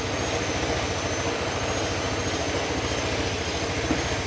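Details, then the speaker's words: Honda Click 125 scooter after top overhaul for misfiring and high fuel consumption, diagnosed and reset: steady, even low pulsing idle with no stumbles or skips, far better than before; idling normally. "Yan, pansin nyo yung andar nya ngayon mga sir. Malayo na dun sa unang-una."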